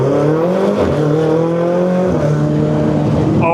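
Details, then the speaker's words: Ferrari 488 twin-turbo, 12,000 miles, after turbo replacement, pulling at about 50% throttle to around 5,000 rpm: strong clean note climbing smoothly, even pull, no misfire; healthy. "This thing is ridiculous. I think Brandon's gonna be very happy when he gets this thing back. That was like 50% throttle and I took it to like 5,000 RPM."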